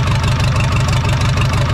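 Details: 1980s Komatsu D31S track loader with a Cummins 4D105-3 diesel, sat 5+ years, now running after a fuel line repair. A small pinhole fuel leak and some blow-by remain. Steady, even idle with a firm low throb and no knocks or misses; the engine is healthy and turnkey.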